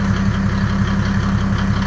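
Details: Land Rover 110 diesel build, first start after fitting custom radiator and intercooler, good oil pressure; steady even idle with regular low throb, no knocks or rattles; normal idle.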